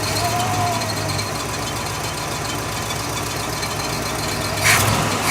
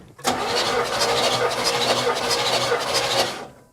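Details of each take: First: 1969 Buick Riviera GS V8, revived after 30 years sitting: running better but idling fast and steady; high idle from a vacuum leak. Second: 1969 Buick Riviera GS, sat about 30 years, compression test with the carb held open: even starter cranking at about three pulses a second with no stumble; compression is healthy, a little over 150 psi on this cylinder.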